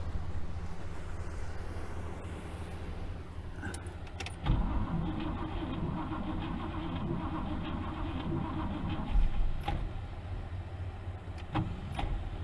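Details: 1964 Buick Riviera sat 23 years in a field: slow, uneven cranking with short catches that drop away as the worn starter's Bendix disengages each time the engine fires, so it never keeps running; starter must come out.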